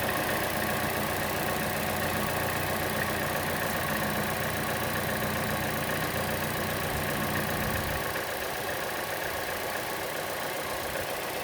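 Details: Chevrolet Cruze engine at idle: a light, fairly even tick at around 220 per minute, louder than the normal engine tick and more noticeable on the belt side; the camera moves around to locate it, and the cause is unknown.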